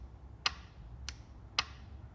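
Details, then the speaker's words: Toyota MR2 with 2GR V6, diagnosing a P0013 check engine code: four crisp clicks about half a second apart as each solenoid actuates when power is applied; solenoids work, resistance around 72–74. "all of the solenoids actuated when power was applied so I feel like we're good there"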